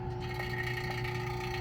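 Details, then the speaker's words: Cheap vacuum pump evacuating a 2017 CLAAS Lexion 740 A/C system after a compressor replacement: a steady hum with a thin metallic ping under deep vacuum that goes quiet when the high side is closed; cause unclear. "You can hear it kind of ping."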